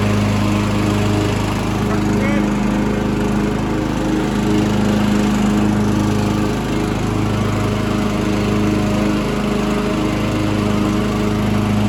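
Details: Mastercraft hydrostatic 16 hp, 42-inch lawn tractor with Briggs & Stratton Intek engine, started with a little gas: steady, even single-cylinder drone at constant pitch with no misses or knocks; normal healthy running.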